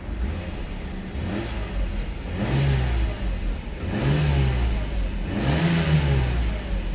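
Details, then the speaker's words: Mercedes-Benz at 203,000 km, revved in a car wash bay: three clean throttle blips, each rising and falling smoothly with no rattle or miss, echoing, little smoke, plenty of power, normal revving. "that's a sound test for you it's uh it's got plenty of power 203 000 kilometers and it still sounds good"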